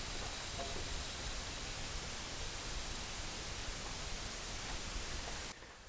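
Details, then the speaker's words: Coolant leaking into the crankcase on a car towed in with coolant in its oil, earlier diagnosed elsewhere as a blown head gasket: with the cooling system pumped up to pressure, a frying-egg sizzling, bubbling hiss comes from the oil dipstick tube, then fades as pressure drops. "all right I will try to enhance that audio for you but it kind of sounds almost like a frying egg a little bit with some cavitation or bubbling a fancy word there and uh you can kind of hear sort of a sizzling sound almost coming from that oil dipstick"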